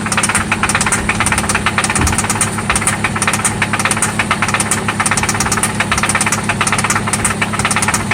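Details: 1995 Toyota Celica ST after an oil change and new spark plugs: loud, rapid repetitive knocking locked to idle, seemingly localized to one spot; engine knock at idle, source not pinned down.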